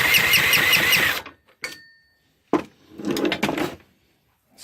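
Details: Small 140cc engine, a little hard to turn: short bursts of cranking that never catch. The carb gets fuel, the plug sparks, the coil and valves are set to spec and the rings look fine, yet it won't start; possibly flooded, cause unknown.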